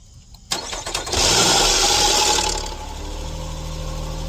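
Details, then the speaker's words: 2012 Nissan Maxima 3.5, cold start after sitting: cranks and catches, then a loud metallic clatter over the revs for a second or so before settling, slack chain from a leaking oil-pressure timing chain tensioner; timing chain rattle on cold start. "And that's what a that's what a leakin timing chain tensioner sounds like."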